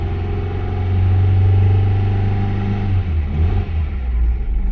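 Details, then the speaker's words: Acura with fresh battery, spark plugs and distributor reportedly replaced: uneven, stumbling low rumble at lower revs that smooths as throttle opens; misfire clears at higher rpm, owner suspects tight valve or bad spark plug. "you can hear it's got of misfiring for sure but when you give it more gas like right there see right there is running"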